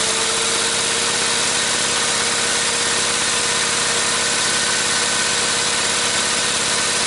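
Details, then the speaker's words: Goofy Cart 2 small engine after fitting a new idler pulley: steady high-pitched buzz with a raspy, rattly edge; the noise is not from the pulley as first thought, so it is suspected to come from the gearbox or clutch, source unknown. "well it works and now I'm thinking that noise is not from this like I thought it was so it's either from the box or from the clutch we'll have to find that out"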